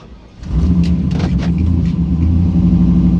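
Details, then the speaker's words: Car with new midmount turbo setup, tune slightly changed, on launch control/two-step: heavy low rumble on the limiter with ragged crackles and surging; engine not happy, owner unsure if turbo placement matters. "I just tried a test and it was not happy. So, let's go back to that soft again."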